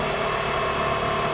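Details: 2004 Chrysler Sebring 2.0 with a crank-no-start after a new computer, cam sensor and crank sensor were fitted; during a test-light bypass of the cam sensor circuit the engine catches and settles into a steady, even idle with no misses, running normally.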